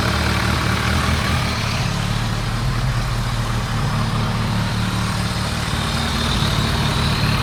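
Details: Warmed-up 2001 ZRX1200R four-cylinder, CVK carbs, pilot screws at 2 5/8 turns (from factory-lean 2 1/4), idle lowered, recorded on phone: deep steady burble, even idle without hunting or stumbling. Normal idle.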